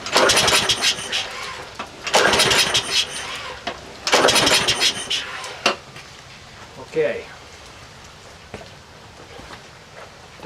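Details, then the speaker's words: Troy-Bilt 12AV566N011 mower with an automatic choke and no primer, its float bowl overflowing. Three rough pull-start bursts sputter without catching, a flooded engine. The carburetor is dirty and the float needle valve was hanging up, letting too much gas flow. "carburetors filthy the bowl since the the needle valve was hanging up the float too much gas is flowing the problem we have is a dirty carb"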